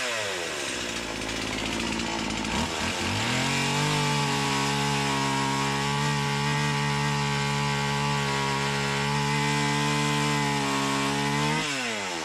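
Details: Stihl MS170 with Amazon replacement motor and a new Holzfforma carburetor, cutting black walnut: flat steady buzz short of a crisp full-throttle scream; owner says it sounds far more doggy than an OEM MS170; sluggish running, low power.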